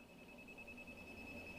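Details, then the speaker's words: New vehicle with about 8,000 miles: leak detector probe at service port gives steady thin high-pitched beep, showing refrigerant leak at the schrader valve; returning to dealer for likely schrader valve fix. "you see that we know there's a leak right in the schrader this is a new vehicle with about 8 000 miles on it okay it'll be going back to the dealer so they can fix the leak probably just a schrader valve one that's leaking"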